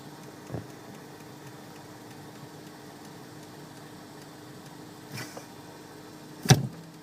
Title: mutilple ticking sound when brake pedal is depressed volvo xc60